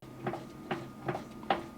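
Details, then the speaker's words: Jeep JL with the wheel rocked side to side: sharp single clacks about every 0.4 seconds, one per rock, with free play in the steering box. The clunk is believed to come from the steering box, the same noise it makes during death wobble. "I think that's in the steering box. It's the same noise it makes when it death wobbles."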